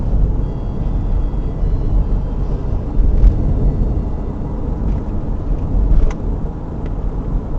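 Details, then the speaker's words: 2000 Toyota Sienna on road test at highway speed after rear shock absorber replacement: only low even road rumble, no spring rattle, knocks or third-seat shaking over bumps; quiet ride, no suspension rattle. "problem solved not just only these vibrations which is really annoying but also this third seat roll really crazy shaking when you're driv in the highway"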